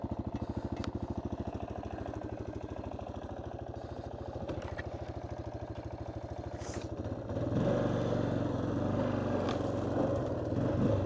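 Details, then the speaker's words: 1993 Yamaha Big Bear 350 4x4 riding in high range, engine pulsing steadily with a loose clattering rattle over it; the rack bolts are probably loose and vibrating and likely just need tightening. "That uh I guess a major vibration. I think it's the rack. I think so. I think these bolts are a little Yeah. See that? That's what's rattling."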